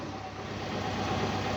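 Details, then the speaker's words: Van neglected about nine years, jump-started with a booster pack on old petrol after a few attempts: the engine runs at a steady idle with an even hum and no knocking, slowly settling after the fresh start. "And as you can hear, it's running. It took a few attempts to turn over, I will not lie. But I can't believe it's actually running."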